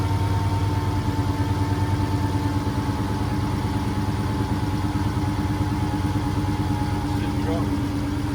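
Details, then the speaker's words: Dodge Hellcat Redeye, supercharged, owner suspects fuel pump: uneven lumpy idle with faint pulley whine, struggling to stay running; trouble starts at idle. Rough idle. "I can hear one die. It's just like when you go idle, that's when it start doing that shit."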